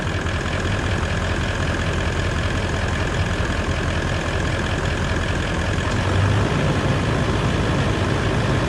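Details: Toyota 200 Series LandCruiser diesel idling after a new water pump and coolant refill, warming up. Constant low drone with a steady note and no ticking or knocking. Runs healthy; normal idle.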